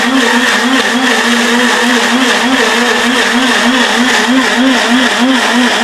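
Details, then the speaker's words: Atomberg Zenova mixer grinder started with the jar locked in place: a loud, steady roar with a faint pulse about three times a second, much noisier than expected. "ഇതിന്റെ sound നിങ്ങൾക്ക് എത്രത്തോളം feel ചെയ്യാൻ കഴിയുമെന്ന് എനിക്കറിയില്ല but വളരെ loud ആയിട്ടുള്ള ഒരു noise"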